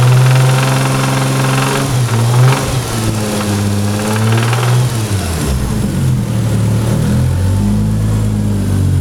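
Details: Supra engine blipped up and down from idle: an uneven knocking under the exhaust note that rises with revs. Rod knock.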